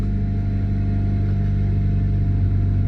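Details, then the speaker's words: Mitsubishi Evo 6 (CP9A) running just after a 340LPH E85 Quantum fuel pump install, with no fuel leaks: steady, even engine drone at one speed with no stumble, knock or tick. The new pump is working and the engine runs normally. "yeah no fuel leaks Felix [Music] sounds like it's working"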